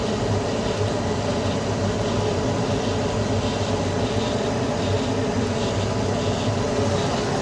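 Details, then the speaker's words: Carrier Infinity 96 58MVB-080 gas furnace on high-stage heat, louder than low stage with inducer spinning much faster; loud even rushing drone over steady fan hum, no knocks or rattles; normal high-stage operation. "it's a little bit latter on high heat but that's okay it's quiet most of the time as you can see in here the inducer spends much faster in high heat mode"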